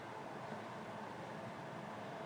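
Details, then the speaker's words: Manual-light propane RV furnace on a bench test, just lit: steady, even rushing hum with no knocks, rattles or squeals; burner lit and blower sounds healthy. Earlier noise was suspected to be the fan not reaching the speed needed to trigger the sail switch. "Hold in, then slowly let out, and turn to the left. And there it has ignited."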